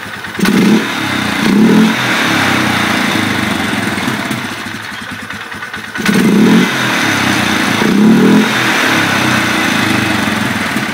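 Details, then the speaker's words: 2011 Polaris Sportsman 500 single, with new exhaust wrap burning off: repeated revs with a loud hollow sucking roar over the thump, intake drawing through the filter with the airbox lid removed; sound changes completely with lid on. "man that sounds funny sucking it through the filter like that"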